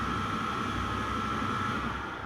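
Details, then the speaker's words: Candy condenser tumble dryer reported noisy and grinding, drum support wheel bearings suspected and replaced; loud steady roar, rough low rumble and fixed tone near 1.3 kHz before repair, noisy grinding drum. "Hi guys, I've got this candy condenser dryer. I'll just show you here. Ported as Noisey and grinding."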